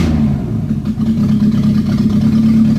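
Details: Renault 18 2.0 carbureted engine during carburettor and distributor timing tests: steady, even drone with a smooth note and no misses or knocks; normal running.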